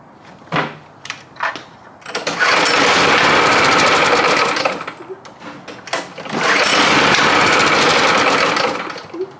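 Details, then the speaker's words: Predator 212 single on a vintage Pepsi go-kart, first start, still warming: surges then sags to a ragged, stumbling idle with clatter; rough idle, owner suspects idle needs raising. "Oh yeah, we got working brakes too, but it's not running the best."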